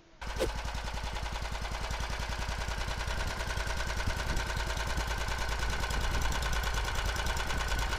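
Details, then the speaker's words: Single-cylinder walk-behind tractor engine on a homemade snowmobile, fitted with a DC CDI controller for dynamic ignition advance (9° at idle) and a PZ30 Keihin carburetor: sharp, rapid, even firing pulses at a steady idle; runs smoothly and quietly. "В таком режиме двигатель работает мягче и легче набирает обороты! Вы как считаете? Напишите в комментариях. Вы только послушайте, как он ровно и тихо работает!"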